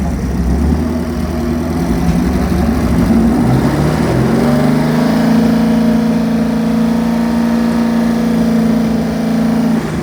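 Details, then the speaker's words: Chevy 383 stroker marine V8 with all-forged steel internals, Comp Cams marine roller cam, AFR heads and Holley Sniper 2 EFI dialed in, timing set, no leaks, for a Cobalt 226 boat: deep, steady rumble rising smoothly in pitch as it revs, no knocks or misses; normal running. "Put the AFR heads on there, Holly Sniper, EFI's all dialed in, timing set, no leaks. Ran absolutely perfect."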